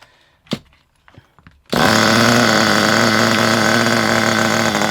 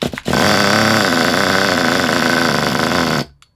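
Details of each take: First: Kyosho Pure 10 Alpha nitro RC car after the high-speed needle was turned in about two turns because it was extremely rich: a few clicks, then a high, steady buzzing run with no stumbling; runs well, idle thought to need a good clear-out rev. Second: Kyosho Pure 10 Alpha nitro RC car with a non-original exhaust, pull-started before warm-up: screams but rough and uneven, burbling, trying to rev but can't make it; owner suspects very rich mixture or oil, needle may need adjusting.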